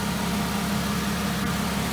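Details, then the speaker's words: 2003 VW Eurovan VR6 after timing chain, guide and sprocket replacement, warming up minutes after start and air purge: smooth, even low hum, steady beat, no ticking or rattle; normal idle. "full disclosure i started up like a couple minutes ago and i had to let the air purge out of the uh i just let it warm"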